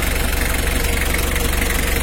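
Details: Mitsubishi L300 diesel at idle during a radiator fan and fan-clutch airflow check. Low, even pulsing holds a steady beat under a strong fan rush. Healthy, smooth idle.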